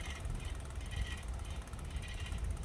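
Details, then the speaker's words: Lectric step-through e-bike: quick light metallic ticking repeating over a soft whir as the wheel turns, only when pedaling; disc brake pad rubbing the rotor, brake cable recently rerouted. "Right now, it only does it when she pedals. The wheel seems to be rubbing still."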